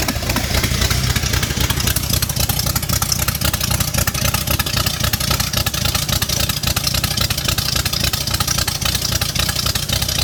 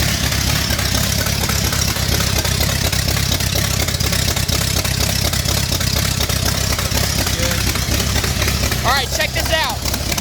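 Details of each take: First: V8 swap first start after adding oil and fuel: strong, steady V8 burble with even pulses, no knocking or ticking; normal idle. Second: First start of a 5-liter V8 swapped into an MG in place of the 1.8-liter, after adding fuel: loud and throaty but lumpy and uneven, wavering as if about to die. Rough untuned idle; owner suspects timing or running out of fuel.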